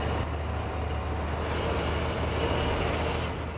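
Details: Engine jump-started with a DeWalt DXAEPS14, idling after the alternator check showed alternator good and battery solid: a steady, even low rumble with no knocks, misses or whine. Normal, healthy idle.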